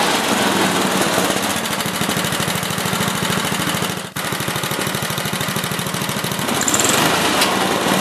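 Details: Older 8HP Briggs & Stratton engine on an old Lawn-Boy two-stage snowblower after carburetor cleaning and leaning a rich mixture screw; quick, even beat at steady speed, no hunting or misfire; normal running.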